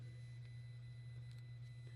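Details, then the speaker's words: Lorch 8mm watchmaker's lathe with a VFD motor drive, energized before cutting: a quiet steady low hum with a faint high whine from the VFD. This small sound is normal. "I'm hoping the the vfd makes a very very small sound so um it's going a little bit so I hope that isn't bugging everybody"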